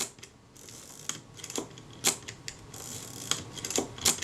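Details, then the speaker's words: Kodak Retina IIa being serviced, stiff focus mechanism, rack timing adjusted one tooth: quiet clicks and sharp metallic snaps as the shutter fires cleanly at slow speed. "so the shutter fires we'll see if it actually on the 500 that'll tell me if i'm correctly placed because that requires a lot more force"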